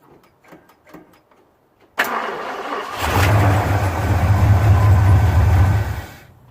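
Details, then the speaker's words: 1974 Ford F250 that smoked and wouldn't shut off, after cleaning the starter solenoid terminals: starter cranks briefly, engine catches, settles to a steady low rumble, then stops cleanly after a few seconds. "so I did that let's see if it starts now and turns off hopefully"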